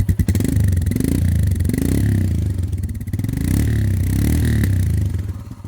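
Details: Royal Enfield Himalayan single-cylinder at about 13,392 km, revved after tappet/valve clearance adjustment: crisp, even thump rising and falling with throttle blips, no tappet clatter; occasionally backfires.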